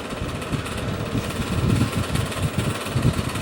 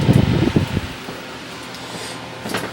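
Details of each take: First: Bersted oscillating electric fan running without oscillation: rough, rumbling, engine-like chatter instead of a smooth hum from bearings never cleaned or lubricated, since the stuck flathead set screw keeps the blade from coming off. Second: Vintage small later-model Bersted electric fan on original cord, just plugged in: brief knock then soft even low hum, no rattle or scrape; runs quietly, though rattling expected after about 30 minutes from worn bearings.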